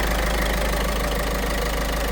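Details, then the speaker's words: Peugeot 5008 1.5 HDi diesel after replacing the stretched cam timing chain, tensioner and belt: even, steady idle clatter, no tapping from the chain side; knock gone, normal idle. "Давай запускай. Хорошо. И стук ушёл. Ништяк."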